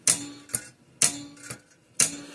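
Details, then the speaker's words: 1950s–60s Parmac-made Sears 6-volt mechanical fence charger fed 6.6 volts from a power supply: sharp snaps in pairs about once a second as the contact bounces back hitting itself. "See, it's hitting itself though. That little, see, it's coming back, hitting itself back here. That's why you're getting this double snaps."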